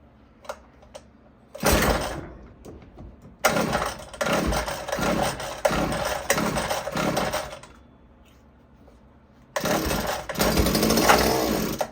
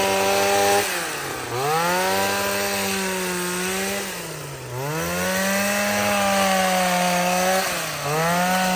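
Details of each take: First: Gas hedge clippers that would not start, run on starting fluid with choke: pull-start bursts catch into short buzzy runs that die within seconds, so spark and compression are fine; suspected gummed carburetor, fuel starvation, unconfirmed. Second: Shawa DH230 professional gas hedge clipper, a yard-sale unit that would not start, after a carburetor change: the small two-stroke buzzes cleanly, pitch climbing and dropping smoothly with each throttle blip, no misses or sputter; running properly.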